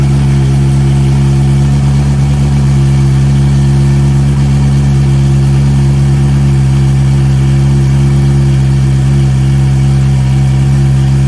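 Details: Fuel-injected Suzuki GSXR 600, stolen and recovered, hot-wired to run with no exhaust muffler and a heat-operated exhaust valve, barely run yet. Loud, raw, even idle with a deep drone. Soft throttle pickup, cause not pinned down.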